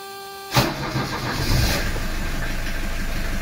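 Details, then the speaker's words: 1982 Mercedes 240D, engine cold, after valve adjustment, throttle linkage adjustment and new diesel return lines, good glow plugs: brief crank, catches almost instantly, even steady diesel clatter at idle with good oil pressure; normal cold start. "you can see how quick this engine comes live here got good glow plugs"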